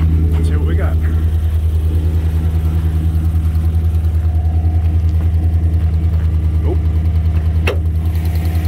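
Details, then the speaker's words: Chevy Silverado 5.3 V8 with Black Widow package, check engine light and tapping complaint: deep steady idle with a sharp light tick and slight misfire; a spark plug wire fallen out of its coil is arcing, not lifters or exhaust. "got a slight misfire too he said it was running fine just had to check engine light"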